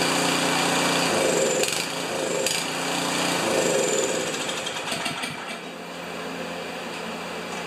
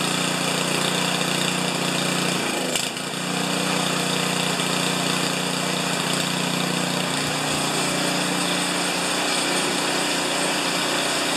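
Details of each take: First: Craftsman 824 snowblower, 205 cc 7 hp engine that won't start or stay running, on electric starter: engine catches, runs rough a few seconds, then fades as bowl fuel burns off; classic clogged carburetor. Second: Craftsman 824 snowblower, 205cc 7hp engine (reported won't start or won't stay running), after carburetor fitted, primed and manually choked while hanging: steady buzzing run with no surging or dying, one brief clatter; holds speed fine, normal running.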